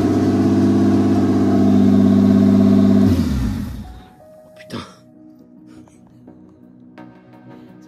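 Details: Toyota 2JZ engine swapped and self-wired into a car unused for 10 years, started after pulley timing marks were realigned and the distributor refitted; catches and runs with a smooth, even rumble for about three seconds, then shuts down, running normally.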